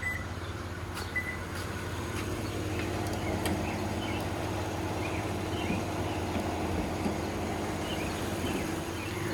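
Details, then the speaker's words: 2012 Lexus RX 350 with the 2GR-FE V6 at 148K miles, regularly oil-changed: steady, even idle hum with no knocks, ticks or misses; the engine sounds healthy. "as you can see the engine works like a beast there's nothing wrong with it"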